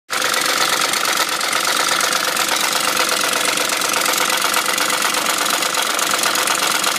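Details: BMW M62 engine at 510,472 km: dense, hissy metallic clatter over a steady idle with no deep rumble; abnormal idle rattle, owner suspects worn timing chain guide rails.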